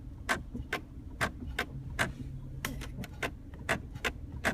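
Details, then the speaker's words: 2010 Chrysler 300 in park on a rainy day: pressing the brake pedal brings sharp dry clicks, about two per second, from under the center console over a quiet idle; new that day, cause unknown. "I'm just de pressing on the brake pedal and now this is new as of today I'm hearing this clicking in the center console right here when I depress"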